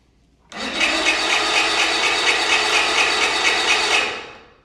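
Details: 40-year-old Bass Tracker outboard, sat for years, primed with fuel and water supplied: high buzzing whir with a steady pulse runs three seconds, then dies away with no firing; cranks but won't start.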